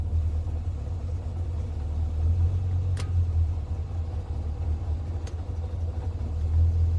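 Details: Le Mans green Mk1 Ford Escort petrol engine idling after fitting a standard crossmember and mounts in place of the World Cup competition crossmember, plus an electric fan kit. Steady, low, even rumble with no shake or knock. The body no longer shakes. Normal idle.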